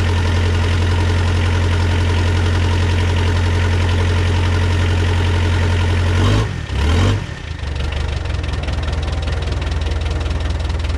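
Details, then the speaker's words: Cold start of a rebuilt Mitsubishi 4D55T diesel in a Dodge Raider/Montero: started easily after lots of glow plug, but the idle chugs unevenly with a stumbling beat and dip, misfiring slightly from air in the lines via leaking injectors (two and three), some white smoke. "so there you have it that's a cold start it actually started pretty easy but you can see it's still misfiring a little bit because it's cold it has a little bit of air in the line"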